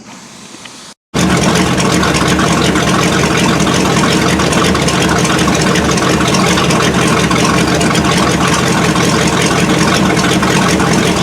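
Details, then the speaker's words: 1979 Chevy K20, first start after winter storage on fresh fuel with a weak battery: fast, uneven, ragged hissing idle that hunts and dies off throttle. Manual choke is not hooked up. Owner suspects poor fuel flow, the inline filter or sticking floats. "it was running real choppy at first as soon as i let off the gas it would die but granted this is a manual choke"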